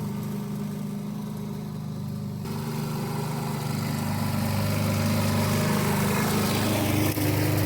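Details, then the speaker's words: 1988 Briggs & Stratton push mower with auto choke, after a diaphragm repair, cutting without a bag: even, regular putter that picks up and holds speed under load, no misses or surging; runs properly. "So that is done. It runs again. It's a very common issue, the diaphragm on these."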